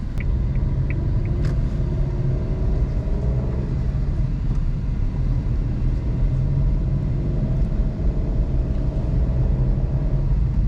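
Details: 2021 Suzuki Alto VXR/VXL 660cc three-cylinder with AC switched on: low, steady rumble and even drone with no knocks, whine or surging. The engine runs smoothly under AC load, with little difference from AC off; normal running.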